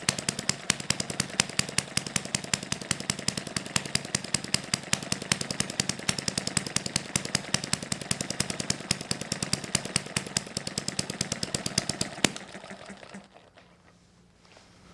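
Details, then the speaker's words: Small 4-cycle model hit-and-miss engine on correct fuel, 3-volt ignition, needle valve about a quarter turn open, original governor springs: quick even popping beats, steady for twelve seconds before shutting off; starts and runs normally. "flip this twice turn it on and away it goes"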